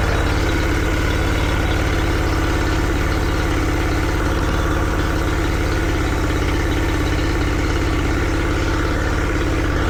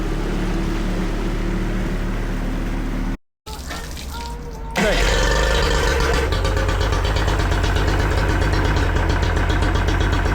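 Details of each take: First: Yamaha 40 hp two-stroke outboard after replacing cracked fuel lines: steady, even idle with smooth low pulse, no misses or stumbles; revs high and holds big loads cruising. Normal running. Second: Yamaha 40 hp two-stroke outboard idling by the water, cutting out under load: choppy, uneven beat with irregular pulses, rough idle, blue smoke and unburned fuel; bogs or stalls on throttle. Likely a fuel delivery or ignition problem.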